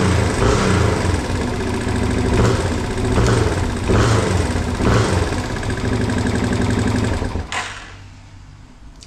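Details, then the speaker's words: 1987 Yamaha TW200 single-cylinder after no-start repair with new petcock, started without choke: fires and runs with an even thump, revs settle smoothly, no float-valve fuel leak; idle possibly slightly rough, mixture screw may need adjustment. "Okay, not bad. Um, we're not leaking fuel or anything from the float valve leaking. Everything sounds good."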